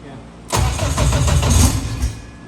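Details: 1000 hp K-series jet boat. The starter churns about a second and a half without catching. Crank no start from bad ground.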